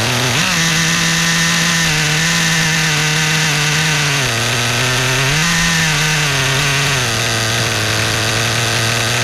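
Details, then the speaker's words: New Kasemo Fotia nitro RC car engine during break-in, second start with no adjustments made. High, buzzy idle now holding fairly even with only slight rises and dips, after surging on the first start; sound getting smoother. Normal. "คืออันนี้เสียงเริ่มนุ่มและอย่างแรกที่สตาร์ทติดว่าจะลืมอ้ายขึ้นลงตลอดนะพอสั่งที่2เนี่ยรอบเครื่องเริ่มนิ่งแล้ว"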